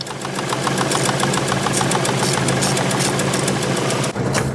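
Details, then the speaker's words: Ford Escort Mk1 with ST170 engine, after shaving down a fitting nut with an angle grinder to cure a self-inflicted knocking noise: steady, even idle with no knock, noise gone. "all right so once I'd shaved a little bit more off of that nut and put it all back together uh the noise was gone"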